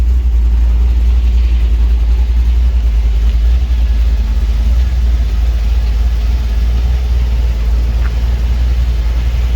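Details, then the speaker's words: 1949 Chevy 3100 truck, newly installed carbureted V8 at first start: deep, steady low rumble holding even throughout with no misses or knocks; idling well, though the owner says it is very cold-natured. "This bitch is running. She sounds good."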